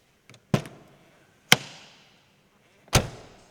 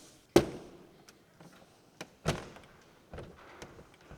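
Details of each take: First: Lotus Carlton doors on one side: three solid single thuds, each door shutting cleanly with no rattle and no bumping on the striker plate, door not moving up or down; normal door closing. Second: Lotus Carlton door on the other side sits slightly low: heavy thunk with a hard knock as the door hits the striker plate, which pulls it up into line with the body.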